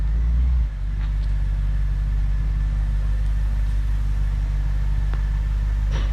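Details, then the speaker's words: 2006 BMW 650i (E64) convertible V8 on a pre-purchase inspection, first impression: deep, even rumble with a steady low beat and no ticks or knocks, sounds good, normal healthy running. "It sounds good. That's a first good impression."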